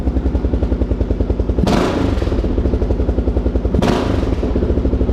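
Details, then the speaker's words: Kawasaki KLR650 single after full carburetor rebuild: even thumping idle, then two sharp throttle blips that rise instantly with zero low-end lean bog; healthy throttle response. "watch the rpm there watch this i'll bleep it there's absolutely zero low end uh lean bog or anything like that works perfect"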